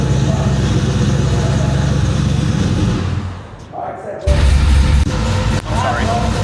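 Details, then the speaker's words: 1972 Chevrolet Chevelle V8 on dyno with previous shop's base tune: heavy burble, stumbles and falls flat on the blip before recovering; lean misfire, not enough acceleration fuel, fixed by retune. "That was misfire. Yeah, it didn't sound good."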